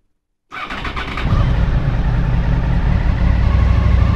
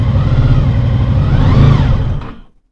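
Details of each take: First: 2000 Honda VFR800, injected, after reseating the ignition coil connector that had lost contact over winter and fitting new oil. Cranks briefly, catches and settles into a smooth, even, higher idle on all cylinders while still cold; healthy. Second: 2000 Honda VFR800, fuel-injected and restricted, first start after 6 months' winter storage on old fuel. Rough, lumpy rev with an uneven beat that dies quickly. One cylinder is completely dead with its exhaust pipe cold, from a loose coil connector.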